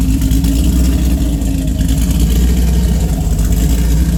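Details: Heavily modified engine with Pat G-spec Cam Motion cam (EPS lobes, 222/226, .629/.629 lift, 112+3 LSA), Manzo headers, Solo cat-back with J-pipes; revs then rough lumpy idle with irregular stumble beyond normal cam lope, really bad misfire.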